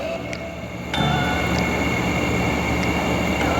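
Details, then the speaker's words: Free air conditioner after teardown, cleaning and reassembly: a soft hum steps up as compressor and fan start together, then runs steady with the squeak gone; owner notes a little remaining motor noise and is unsure how long the motor will last. "And it sounds like I got rid of that squeaky. Got a little bit of a noise, so I don't know how long that motor's gonna last."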